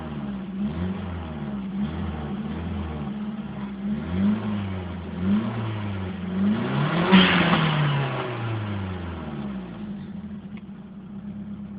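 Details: Nissan SR20 four-cylinder petrol engine on stock exhaust, revved repeatedly: raspy, puffing edge to the exhaust note from an exhaust leak.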